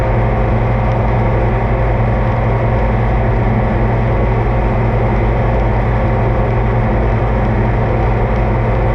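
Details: Oliver 2255 front-wheel-assist tractor on a test run after an oil service of engine, transfer case, front axle, rear end and hydraulics: a steady, even low diesel drone with no knocks or misses, running smoothly. Normal running; owner says everything done is fine.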